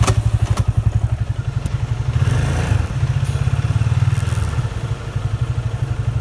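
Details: Yamaha FZ25 ABS motorcycle, bought March 2019, under moderate rear braking, mostly in 1st or 2nd gear: steady single-cylinder thumping with a rough scraping grind as the rear brake goes on. Rear brake grinding; owner suspects early ABS activation, unconfirmed.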